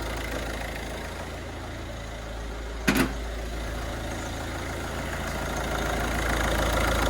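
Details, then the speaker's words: Ford Focus diesel after cam cover refit, oil confirmed reaching the turbo: even, steady four-cylinder diesel clatter at idle with no misses, knocks or hunting; no leaks, no warning lights, running really nice. "running really nice really nice for a diesel"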